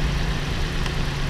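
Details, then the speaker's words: About 2013 Toyota RAV4 at idle after swapping coils between cylinders 2 and 3: low, lumpy idle with an uneven stumble; misfire stays on number 3 cylinder, so coil not the cause; spark plug next to be checked. "Yeah, the misfire is still on number 3 cylinder."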